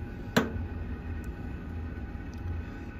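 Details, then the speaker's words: Three-year-old Castle Serenity pellet stove, just thoroughly cleaned, heating up in igniter mode: one sharp tick over steady fan hum; normal thermal expansion creak of the body. "all the Creeks are just expansion it's normal"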